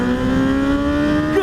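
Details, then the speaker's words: 2018 Honda CB1000R riding in standard mode: engine revving high above 7000 rpm with a hard, buzzy edge over the exhaust before the revs drop; rider suspects a loose bolt, cause unclear. "christ can you guys hear that buzzy i don't know what that is i don't know if that's a a bolt loose or something but anything above 7000 rpms and we get like a weird buzz"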